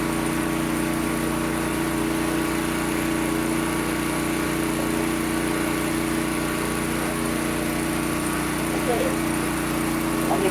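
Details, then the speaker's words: Kawasaki GA1400 suitcase generator, cold start (muffler stone cold): first pull with choke, then choke off, and the small single-cylinder holds a steady, even buzz with a constant whine. Running clean and healthy. "So let me give her a couple of pulls here. Oh, look at that. One pull, turn the choke off. And away she"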